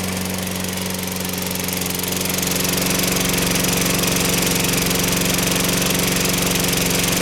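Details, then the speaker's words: Toro Personal Pace 6.5 GTS mower, Tecumseh single-cylinder engine, running after carburetor cleaning fixed a no-start: steady, even putter at constant speed, no misses or surging; normal healthy running. "so propelled out here oh yeah sounds good personal pace run works well going to let this run a while"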